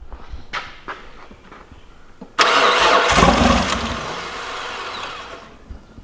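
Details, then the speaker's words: Nissan R31 Skyline RB30E engine with used distributor and coil of unknown history: a few cranking bursts, catches and runs roughly about three seconds then dies; owner suspects bad spark. "damn close just won't stay running anyway I am quite convinced that it's bad spark that's my theory"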